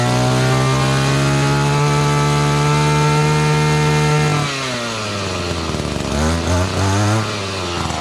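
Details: Echo GT-200B (Kioritz) two-stroke string trimmer after a recoil starter pull-rope repair: revs high and steady, then drops off as it's shut down; runs clean and even.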